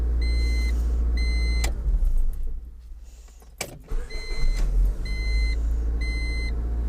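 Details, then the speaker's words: 2000 Honda Civic LX, D16 engine, automatic, after starter replacement: chime then brisk even cranking that catches quickly each time, no grinding or clicking; sounds better than ever, problem solved. "Boom. Sounded much better than it ever has."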